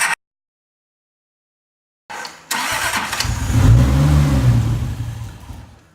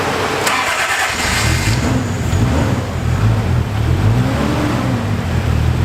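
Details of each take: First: Toyota Supra, starter jumped directly to test cranking: silence, then the engine spins at about three turns a second and tries but never catches; the anti-theft detection system was locking out the start, and it seemed to want to start once bypassed. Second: Toyota Supra, long sitting, jump-started off a truck because of a bad battery after the clutch and fuel issues (leaking fuel filter) were fixed; it cranks and catches, then settles into a low, steady idle with a light rev and runs for about 35 seconds.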